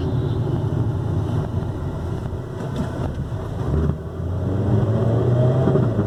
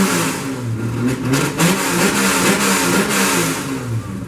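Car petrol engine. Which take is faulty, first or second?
first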